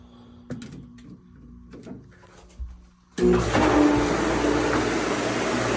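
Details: Jandy Pro Flow 2.0 pool pump motor after replacing bearing to cure loud humming from filter housing: motor kicks on into steady, even water whoosh with no growl or hum; running normally, problem solved.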